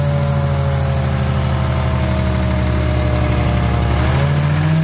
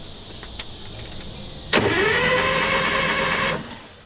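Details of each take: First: Detroit diesel in a DROTT excavator that sat about 15 years, running after revival: loud, even drone that steps up smoothly in pitch midway as it revs and holds; sounds healthy. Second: DROTT excavator, sitting 15 years: a rising starter whir for about two seconds, then it stops without catching; it cranks but won't fire, possibly no fuel getting through or the stop/kill engaged, not confirmed.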